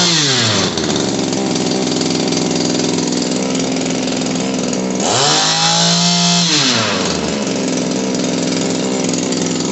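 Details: Shindaiwa PB270 power broom two-stroke after carburetor repair with fresh gas: runs clean and steady, dips and picks back up smoothly around the fifth second, holding a healthy, even note; normal running.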